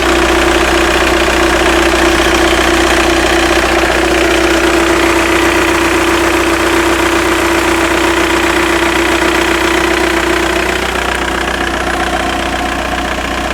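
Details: Skoda Octavia 1.9 TDI ALH, about 165 bhp, warm at 50°C idle: a light, even tick about four times a second with a faint hum. Alternator bearings and belt pulley already replaced, G60 clutch 8 months old, timing belt kit (no water pump) 18 months old. Unusual noise, source unclear.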